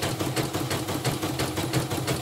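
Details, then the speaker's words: Portable CNY embroidery machine after replacing the damaged bobbin case (sekoci); even steady stitching rhythm about six beats a second, no knocking, stitches not skipping; normal running, rotary hook to be replaced if rattle worsens. "Halus soalnya, dan hasilnya juga nggak loncat-loncat, sudah setara semua."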